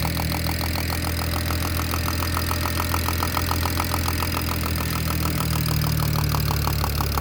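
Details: BMW E92 335i N54 six-cylinder at steady idle: quick, regular light ticking about three or four per second. The owner suspects the top end but is unsure; the cause is unknown.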